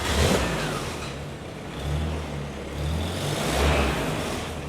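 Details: 1949 Jeep Willys Jeepster, 2.2L L-head gas four-cylinder with one-barrel carb, three-on-the-tree with electric overdrive, fired up after shift linkage bushing repair: catches easily and runs with a low, even thrum that swells and settles. Normal engine running.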